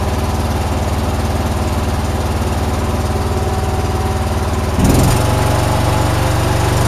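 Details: John Deere with 472 hours, after shop replaced fouled plugs and a dirty fuel filter: small single-cylinder engine at a steady, even beat, picking up speed cleanly and holding. Owner wonders if valves need adjusting. Runs normally.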